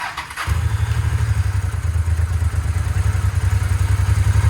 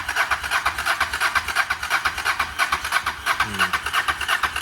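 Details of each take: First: Harley Dyna bought back from insurance as a total loss. Its fuel pump was suspected not to be delivering, so fuel was fed directly. Catches after a brief crank into a steady, deep, loping V-twin idle. Normal idle. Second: Harley-Davidson Dyna with a fuel pump that needs priming, cranked after sitting; steady starter chugging about three beats per second with no firing; crank no-start, no pump vibration felt, fuel pump suspected, not confirmed.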